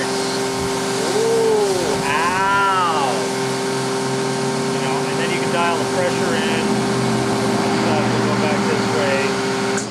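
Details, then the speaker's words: Campbell-Hausfeld PW1835 1800 PSI electric pressure washer with universal motor, spraying on low pressure setting: a high steady motor scream over the spray noise that sags slightly at times; motor screaming and bogging; cause suspected, not confirmed. "and you can go for like low pressure, and you can hear it scream out of fucking control and shit. You hear the China bog down."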